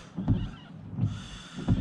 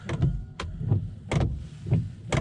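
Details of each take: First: Volvo P3 S80 windscreen wipers after being adjusted lower with a 15 mm socket so they no longer hit the A-pillar: three smooth, even sweeps about 0.7 s apart with no judder or squeal, much quieter than before. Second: Volvo S80 (P3) windscreen wipers on fast: a sharp knock at the end of each sweep, roughly every half second, over the swish; the wiper arm strikes the A-pillar, fixed by loosening the 15 mm nut and repositioning the arm.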